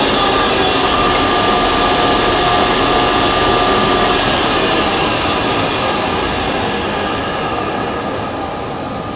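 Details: Monarch Merit lathe (16" swing, 1965–74 light-duty model) after converting its non-working DC drive to an AC drive, with an added cooling fan and freshly oiled chuck; about 370 rpm. Smooth, even whir, steady tones, no knocking or grinding, fading slightly at the end; spindle running cleanly.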